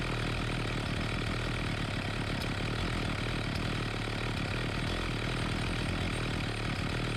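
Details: Homelite 4218C chainsaw, previously stalling, after tightening the carburetor, readjusting the mixture screws and adding fresh fuel: steady, even two-stroke burble at idle with no surging or dying. Normal idle.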